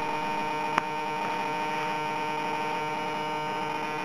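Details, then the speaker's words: HobbyKing Sukhoi Su-26 50cc model on Orange R910 receiver, digital wing servo unplugged and a substitute servo plugged in: steady even electrical hum with no twitching or buzzing, rock steady, no glitching; servo holding normally. "but I just plugged in a little high-tech servo and everything's working as it should and on this Servo I've got absolutely no glitching whatsoever it's rock steady"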